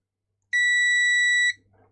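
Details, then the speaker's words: Karcher MV5 window vac (flashing red light), dead after being dropped; a new battery didn't fix it. The multimeter gives a clean, steady, one-second continuity beep across the battery/motor terminals, showing a short circuit. Motor windings suspected damaged by the drop. "There's a short circuit on that battery. No, that's the motor. So there's a short circuit somewhere. It could be the motor."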